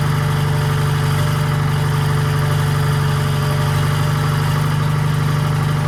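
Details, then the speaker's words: 1940s Allis Chalmers HD5/D5 crawler, 2-stroke Detroit 271 diesel, started after many years retired: deep steady drone, even low beat, no knocks or misses; idles smoothly, motor sounds good, smoke suspected from a faulty injector. "right, that thing is a smoker. Motor sounds good."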